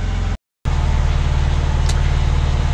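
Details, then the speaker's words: 2004 Porsche 911 (996) Turbo after oil change, idling until operating temperature (just above 180): smooth, deep, steady idle with even beat and no ticks, knocks or misses; healthy warm idle. "Our temperature is still pretty low. So, we're going to let the car run for a little bit and warm up because we won't be able to check the oil level until the car is warm."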